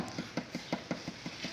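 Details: Yamaha Fazer 250 (2011–2017 model) after rubber was fitted to isolate the headlight housing: dull, even thumps about five a second as the front is shaken, with no sharp plastic chatter; the headlight rattle is gone.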